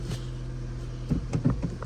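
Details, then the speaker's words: Low-mileage Renault Clio with fresh oil, first start on inspection before a clutch check: an even, steady low idle hum with a few light clunks from around the car, no knocking or ticking. The engine runs smooth and quiet. "Engine sounds good. But let's check this clutch."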